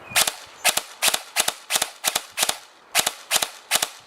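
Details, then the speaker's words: Airsoft Entrepôt V2 Ama Tsu Maru gearbox on an 11.1V 1300mAh LiPo with higher discharge rate, motor grip hot: sharp cracks in close pairs about every half second, semi-auto double firing from the over-voltage battery. "donc en semi c'est pareil he vous avez du double"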